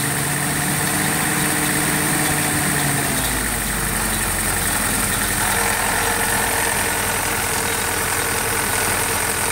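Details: Willys CJ2A old four-cylinder engine idling roughly: a light, uneven knock under the exhaust note; possible internal engine knock, not pinned down.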